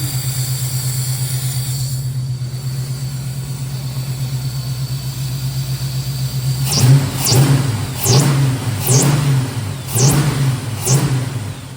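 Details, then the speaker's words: 1969 Pontiac Firebird V8 with Holley Sniper EFI, after replacing a failed injector that had caused stumbling. Even idle, then sharp throttle blips that rise and fall cleanly with no stumble: all four injectors working, normal revving. "let's fire it up see what happens all tell's no stumble"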